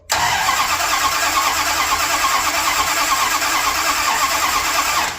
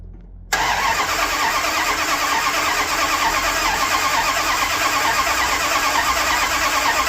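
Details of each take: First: 1978 Dodge D200, 100,000-mile 400 big block, 727 transmission, after reseal and new timing set, jumped at solenoid, possibly no fuel yet; starter spins it at a steady even pace, no grinding or dragging; normal cranking. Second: 1978 Dodge D200 with a 100,000-mile 400 big block after a drivetrain reseal and new timing set, jumped at the solenoid: steady, even cranking for about eleven seconds with no firing; owner doubts fuel has reached it yet.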